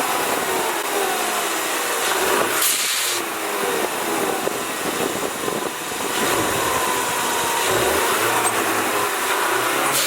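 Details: EcoBoost Mustang after Tornado kit install, Turbosmart blow-off valve with stiffer spring holding about 20–25 psi; stationary revs rise and fall cleanly with no flutter as boost builds and drops, valve opening around 3,000–3,500 rpm; turbo and blow-off valve healthy.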